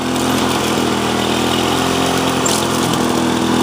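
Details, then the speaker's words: 2001 Lawn-Boy DuraForce self-propelled two-stroke mower after a new ignition coil, fuel system cleaning and carb rebuild, at low speed: steady, even buzz with no surging or stumbling. It runs healthy. "go ahead and put the driving position on here fair shot drop looks great even on low speed"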